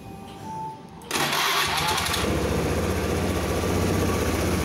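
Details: Honda Scoopy PGM-FI scooter after replacing a worn piston with a 0.50 oversize one for a rough knocking noise and thick white smoke, starts first try and idles smoothly with no smoke.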